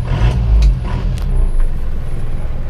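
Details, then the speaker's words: Isuzu Panther diesel just started on a cold morning, owner complains of smoke from the oil filler: deep heavy idle with a hard, truck-like knocking clatter; mechanic suspects injection pump timing too far advanced. "Saya merasakan timing bospom terlalu maju Saya tidak suka karakter mesin yang suaranya galak krang seperti truk"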